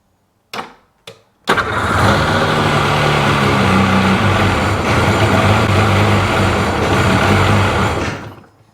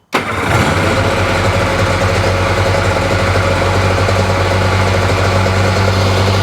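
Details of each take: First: 2005 Sea-Doo 3D (787 RFI) cranks twice, catches and runs rough about six seconds, then revs sag and it stalls at idle; owner suspects MAP/air-pressure sensor or wiring corrosion, gauge reading low, cause unconfirmed. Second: 2005 Sea-Doo 3D with 787 RFI engine that had sunk, stalling at idle with a suspected MAP sensor or bad connection: engine catches and settles into a steady, even two-stroke drone with no misses; briefly running normally.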